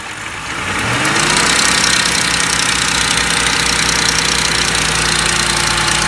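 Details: 2004 Lincoln Navigator starting and settling into idle with a constant rattly, slightly uneven clatter above the idle note; timing chain noise.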